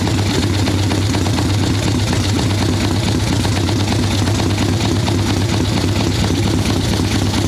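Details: Harley ironhead Sportster XLCH chopper V-twin, Mikuni VM38 carb, idle circuit tuning after fresh plugs, cold wet day: loud, lumpy low idle, heavy soft-edged beat without crispness, "a little boggy, she's not happy".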